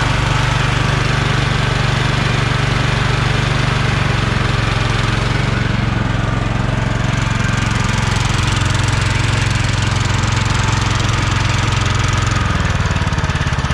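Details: Kohler Courage 20 hp engine on a free Craftsman DYT4000 mower, fuel pump hooked up, battery 12.79 V, starter weak; steady even low thump at constant speed, no rattles or exhaust leak; charging good, carb decent; normal running.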